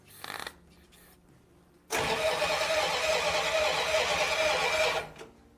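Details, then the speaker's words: 1935 Ford truck revived after years laid up, carburetor float suspected sticking: short bursts of cranking, pause, then catches roughly and runs unevenly before dying; hard starting after flooding caused by a vacuum leak. "my got a little bit of a vacuum leak right back there so it flooded it that's why it was so hard to crank"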